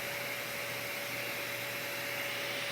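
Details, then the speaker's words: Harbor Freight Hercules 12-gallon HEPA dust extractor running, self-cleaning on, shop ambient 45 dB: even airy rush with a steady mid-pitched motor hum that never wavers; quiet and running normally. "A lot of sle quiet, too. It's not that loud."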